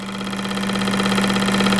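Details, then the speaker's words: Bench flow test on the turbo K24 Civic EP3's fuel injectors: a known-good Bosch 2200 gives a strong, steady, evenly pulsing buzz with full fuel hiss, sounding angrier than the customer's suspect injectors, which flow almost no fuel. "I don't know if you can tell a pitch difference between these but this sounds way more pissed off than these three so just just for the hell of it I'm going to show you guys what a actual Bosch 2200 flows"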